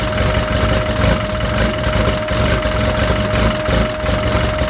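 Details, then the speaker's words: Freshly built car engine being heat-cycled to burp air from the coolant, water pump on, at about 110 degrees: loud, steady idle with a firm low throb and an even note throughout while warming up; sounds healthy. "so now I'm just gonna heat cycle it out here and you guys are gonna hear it on let's kick ass"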